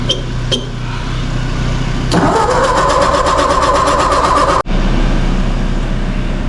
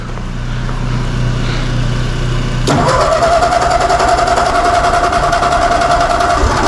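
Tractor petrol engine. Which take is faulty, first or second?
first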